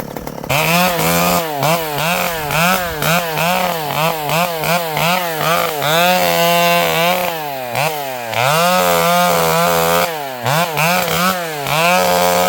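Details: Vintage two-stroke chainsaw with a governed carb, cutting during tree work: crisp buzz that bogs and recovers cleanly with each pull through the wood, no misfire or rattle. Normal running under load.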